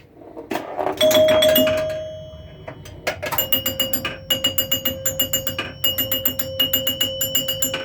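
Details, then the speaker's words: Restored Joker Poker pinball, glass off so chimes are loud: clean bell chimes struck about three to four per second as the max bonus counts down; chime unit works properly. "so we got a max bonus that's what that sounds like"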